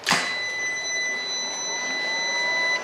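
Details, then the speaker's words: Off-grid hybrid inverter smart storage unit: mains disconnected from grid-connect bypass mode (grid charging battery), sharp click then steady electronic whine and fans start as ~3 kWh batteries take over whole-house load like a UPS; normal grid-to-battery changeover. "soon as the power is disconnected you can hear the fans will start up strains will change to the following configuration the batteries and now powering this off-grid inverter which effectively will power the whole household"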